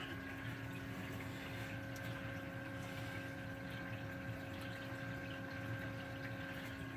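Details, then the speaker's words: Return pump on a new DIY-plumbed 60-cube reef tank with temporary flex-line return; soft steady hum with a faint whine and trickling water, even and unchanging; quiet pump, normal running. "quick and the pump's pretty quiet I'm pretty happy with the the pump overall"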